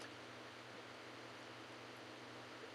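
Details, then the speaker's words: Vintage arcade game board: game sound barely audible under a steady loud hiss and low hum; very quiet, noisy output persists after recapping and trying two different sound boards, cause not found. "It's just really quiet. You could hear it. It's there, but it's just really quiet. And it's got a bunch of noise on top of it."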